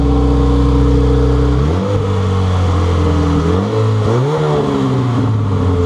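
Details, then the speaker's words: Honda Civic EG hatchback after D16Z6 swapped out for a B20V turbo engine, first run after the swap, kept short to avoid overheating since clutch master cylinder still needs bleeding; steady idle then two clean throttle blips; normal running. "Sounds like it's running really well. I didn't want to overheat it because I still need to bleed out the clutch master cylinder from when I disconnected it earlier."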